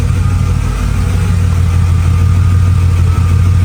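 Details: Mercedes W210 E55 after manual swap to Chrysler Crossfire NSG370 6-speed with lightweight flywheel: low, even V8 burble at steady idle, no ticking or clicking; the earlier clicking noise has gone and the engine sounds healthy.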